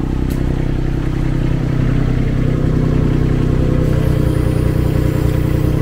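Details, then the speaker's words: Baumalight TRL620D mini skid steer: the small engine runs heavy and low, bogging down as the hydraulics dead-head against relief with the auxiliary lever held on, operating the grapple. "thing now because this lever does stay in place you'll notice you can hear the motor bogging down that's one thing right off the bat uh that I don't like"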